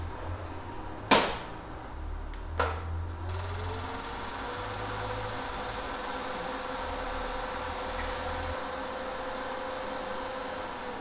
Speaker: On entend un clic et le tiroir est déverrouillé et le voyant cessera de clignoter. À la fin du processus, nous recevons trois bips de l'appareil.